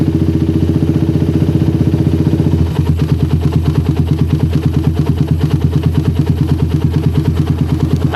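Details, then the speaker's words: Motorcycle with a well-tuned PWK34 carburetor and its normal choke. After the throttle is held briefly for oil to rise, then released, it settles into an even, steady idle thump with no hunting or misses, like a stock carb. Normal idle. "Nah ini IDnya udah bagus banget yaabil banget udah kayak Idal karbus standar enak banget didengar"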